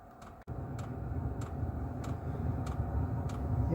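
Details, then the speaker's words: Diesel air heater for home heating, first start this year after glow plug heats about a minute: sharp even ticks about every 0.6 seconds over low fan rumble; normal fuel pump ticking rapidly to draw diesel. "then you'll start you hear a ticking noise start which is the the diesel pump from the back of the machine there there you go that's that's ticking quite rapidly"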